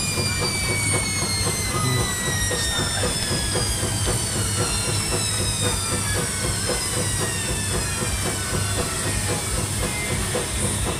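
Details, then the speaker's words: Old Beko washing machine under test: motor hum with rhythmic swish about twice a second and falling motor tones as the drum reverses; normal agitation noise. "No, that's the noise of it. Agitating."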